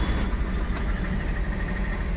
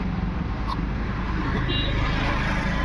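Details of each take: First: MG Hector, towed in after sitting, ignition on, starter held: steady even cranking that never catches; no fuel delivery, traced to a failed fuel pump. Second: MG Hector diesel, heard from outside after fuel pump assembly replaced (second-hand original) to cure crank-no-start from no fuel delivery: even clatter at steady idle, no misfire, hunting or stalling; runs normally.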